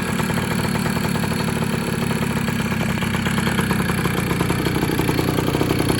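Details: 2000 Kawasaki KE100 two-stroke, just after a wet clutch oil change: steady, even idle with a crisp, regular beat and no misses or knocks; the engine runs clean and healthy, though the clutch later slipped.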